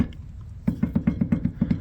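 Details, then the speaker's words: Toyota AE86 on jack stands, wheel off: about eight dull clunks as the front rotor is rocked by hand at the top; wheel bearing either bad or loose, to be inspected and repacked. Cause suspected, not confirmed. "this wheel bearing is either bad or it has come loose"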